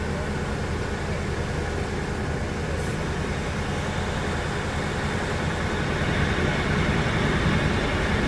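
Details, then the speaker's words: 2003 Ford Expedition 5.4L Triton V8 after heater valve replacement and coolant flush, refilled with 50-50 green coolant, first start: smooth, even low rumble with no ticks, knocks or stumbles; sounds healthy. "Don't look at my haircut. That sounds real healthy."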